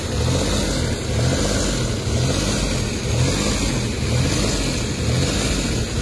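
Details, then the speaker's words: Suzuki K6A warmed up after a few minutes, no fault codes stored: idle swells and sags about once a second in a steady cycle, no knock; hunting idle, cause undetermined pending scan and voltage tests. "Okay. So nakita niyo yung ah sistema ng engine talagang taas baba ang inyong RPM. So ibig sabihin may problema yung makina."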